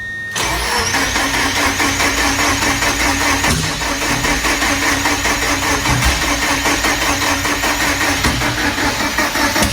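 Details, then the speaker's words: Four-cylinder car first started after installing a rebuilt sequential transmission, following over a month sitting: cranks, catches and settles into a lumpy, stumbling idle, not firing on all four; owner suspects injectors rusted shut from sitting. "well that's not good it's running uh it's not running all four cylinders and i have a feeling i know why i hope i'm wrong but i have a feeling my injectors are rusted shut again from sitting"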